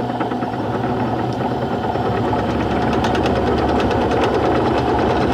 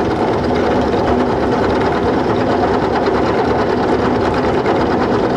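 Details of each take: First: Mini milling machine cutting a T-nut from hard-to-machine iron with a cobalt cutter and oil, very small cuts of under 0.004 inch; uneven rapid chatter about three hits a second over spindle hum in both conventional and climb milling. Cutter chatter. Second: Small mini-mill cutting iron T-nuts with a cobalt cutter, running wet with oil. A dense, even cutting hiss with a steady motor whir and no chatter or squeal; the climb cut sounds smoother. A smooth milling cut.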